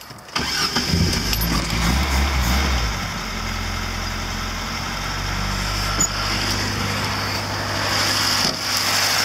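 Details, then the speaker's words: Lada engine after a new timing chain, car driven a while since: brief crank, catches at once, smooth steady idle with no chain rattle; the old chain's noise is gone, the belt sounds funny; normal start and idle. "oh yeah here it's running and it sounds like a l motor so and now when we have this six six plate F belt it's keeping quite funny sound but yeah now the timing chain don't make that kind of noise but like it's made the previous because now it's new"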